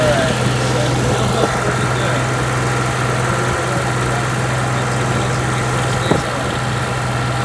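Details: Onan 5500 generator, which previously shut off after 15 minutes, tested after fuel pump and filter replacement: a steady, even low hum with no surging, misses or dropouts, holding speed. Normal running.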